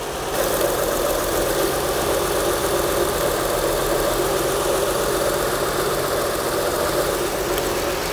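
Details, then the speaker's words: 2004 Acura TL 3.2L after engine replacement: idle is rough and uneven with a faint stumble; one dead cylinder, with a rear coil pack suspected and the spark and plug to be checked. "drop at all I think it's got a bad coil pack think I know which one it"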